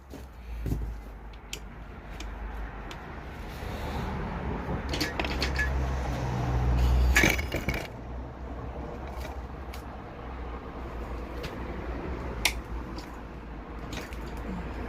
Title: BMW Spun Bearings Rod Knock Conrod failure cylinder 1#bmwengine